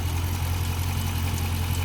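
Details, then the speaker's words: Dodge Scat Pack V8 at idle; the loud ticking heard earlier is now gone: a steady, even low burble with no ticking or knocking, engine healthy. "Earlier, y'all remember earlier when we recorded, it sounded like it was loud, like it was ticking. But now I don't hear it."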